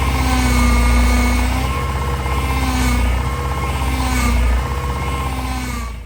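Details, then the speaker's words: Honda Civic EG racecar at idle after shortening the upper power steering pipe: steady low drone with a faint wavering whine rising and falling; power steering pump noise, foam in the reservoir, likely air in the fluid. "I'm gonna do some Googles, try and maybe ask Chat KFC, see if that knows what can cause this sound. But the telltale surely is that also we've got the foam."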